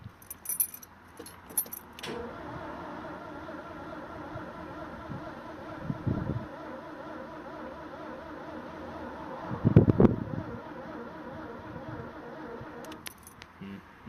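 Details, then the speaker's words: 1979 Porsche 924 with dog-leg gearbox, no oil pressure light on, cranking steadily with even compression beats and no tachometer bounce; engine cranks but never catches or fires. "I don't know how well you can hear that but it's me cranking there's no tack bounce"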